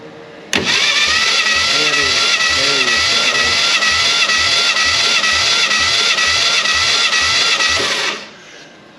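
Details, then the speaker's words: 1967 Fastback Mustang recovered from a West Virginia holler, final cylinder of compression test: even starter cranking, steady whine, no missing beats; compression judged good enough to attempt running it. "good enough for a run yep"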